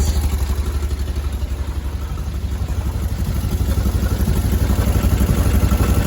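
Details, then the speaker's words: VW Bus air-cooled engine after installing an electric fuel pump, warming up: steady low even chuff with a regular pulse, no misses or knocks, no leaks; normal idle. "okay final test it's been running a little bit start to warm up now don't feel leaked"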